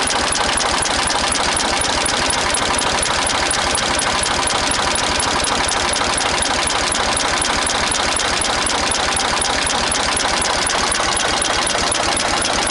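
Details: Renault N70 tractor diesel engine running: steady hard clatter at about four knocks a second, even throughout; engine knocking, cause unknown.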